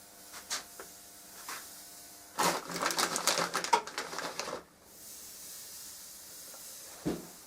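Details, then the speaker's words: Anti-scale powder sprinkled on blades pulled hot from the kiln at critical temperature, edges first: quiet room, then about two seconds of sharp sizzling crackle and hiss as it melts into an airtight seal against oxygen. "So it's just a matter now of pulling them blades out and sprinkling this powder onto them, and the powder melts and forms that airtight seal. Always get the edges on first because that protects the cutting edge. You can hear it hissing."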